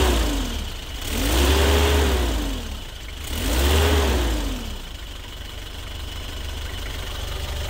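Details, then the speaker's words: 1995 Isuzu Elf Outback Express diesel camper van, freshly imported; two clean throttle blips rising and falling smoothly back to a steady diesel idle, a healthy engine revving normally. "And that's it, diesel, baby."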